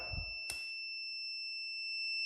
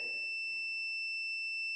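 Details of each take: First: That it's not stopping. But now it should stop if it opens. So in this case, this sensor will not open. That means it's stuck closed. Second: put it right there, don't matter red or black, and then it should make noise if it's good. I think it's good.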